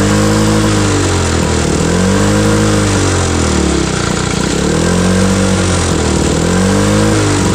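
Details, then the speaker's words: Cold start of an old mower, drill-started because it is hard to turn: revs rise and sag every couple of seconds, never steady; rough running and surging, owner mentions the carburetor, needs work. "yeah that one needs a little work but other than that it seems like it did okay"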